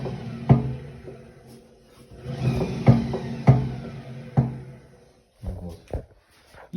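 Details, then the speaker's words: Hotpoint Ariston WMUF 5050 washing machine with back cover off: heavy, uneven thumps every half second to a second as the drum turns. Cause is the rear drum bearing/hub part, which should be tight but unscrews by hand. "Смотрите, ещё раз покажу, как стучит этот барабан. Может, кто-то узнает звук."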